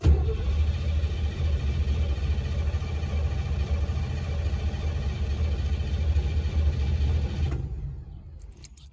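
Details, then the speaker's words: 1955 Chevrolet / Canadian Pontiac with MSD distributor: steady starter churning, engine spins evenly for seven seconds but never catches; crank no-start with no spark because the tiny distributor ground wire was not connected, now hooked up. "what i didn't do was hook up the ground for the distributor the msd this is a tiny little ground wire i hooked up the tack i just hooked up the ground now so it should fire"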